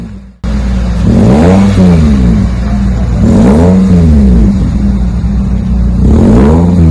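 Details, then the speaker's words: 2001 Toyota Celica GT 4-cylinder after new axle-back exhaust with Magnapack muffler, stock front, 4-inch stainless tips: three clean revs rising and falling smoothly, mild even rumble, no rattles or misfires; healthy exhaust note. "It's pretty much stock up front. Should give it just a little rumble. It's all the customer's looking for."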